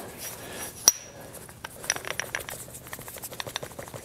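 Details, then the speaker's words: Old planer feed-train cast-iron gear slid toward the worn end of its steel bearing pin: light uneven metallic rattle from excess play, wear from poor grease distribution. "can hear it rattling now again failure analysis"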